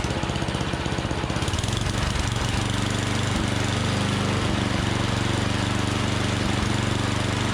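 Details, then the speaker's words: Troy-Bilt Storm 7524 24-inch snowblower, never maintained, previously wouldn't start; after tune-up, electric starter cranks briefly, then the small single settles into an even, steady running beat with no misses or knocks; normal starting and running. "So we're gonna hook up the electric start and I'll show you that that works."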